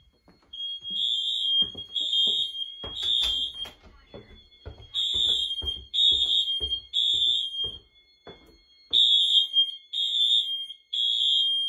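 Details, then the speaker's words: Wheelock/Honeywell fire alarm system test on a Fire-Lite MS-9200UDLS panel: kitchen smoke alarm tripped, loud high-pitched blasts in even bursts of about three per cycle; alarms keep sounding ~20 seconds after reset, then act as horns; working normally. "so because of the nature of these smoke alarms they go off for around another 20 seconds after they shut off so that reset so now these are just acting as horns"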